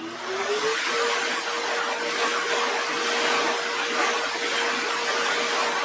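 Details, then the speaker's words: Grizzly G0944 1.5 hp dust collector, exhausting outside without HEPA filter: steady loud air rush over an even motor hum that never stops; the remote turns it on but, for several days, intermittently fails to turn it off. "But it won't turn it off. Why? Yesterday morning, it started doing that."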